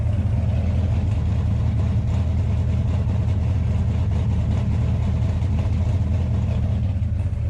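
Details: 1968 Dodge Charger Hemi V8 after a new fuel line from the fuel pump, fired right up cold: deep, steady, even idle rumble with no misses, ticks or surges.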